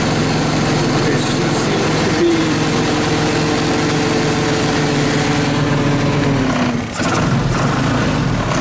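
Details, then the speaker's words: 2014 Linhai Big Horn 400 UTV just restarted after a plug change and a portable 12V CDI hookup, air cleaner off, not charging, in neutral. Loud uneven single-cylinder thrum with wavering pitch and a dip, rough running that still needs more attention. "she seems to be fussy um this has been my experience with these uh Chinese guys they they seem to a lot of need a lot of tinkering a lot of love to be uh successful and to function properly"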